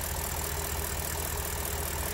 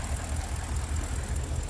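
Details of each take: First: BMW N62 V8 that suffered random multi-cylinder misfire: even, steady low idle with no stumble or miss breaking the rhythm; running smoothly. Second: BMW N62 V8 with random multi-cylinder misfire, before repair, door shaking: lumpy, uneven low idle with irregular stumbles instead of a smooth beat; missing on several cylinders.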